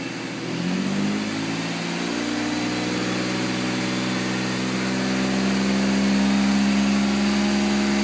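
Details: 1992 BMW Touring with M50 stroker inline-six petrol engine idling roughly, an uneven, loping beat of about four pulses a second.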